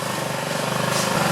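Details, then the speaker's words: 2009 Honda Metropolitan scooter after carburetor cleaning and smoothing the throttle plunger and its bore: quick, even buzzing that climbs smoothly with throttle, no stumble or bog; runs well. "So let's go ahead and fire it up and see how she does. Now you sound pretty good."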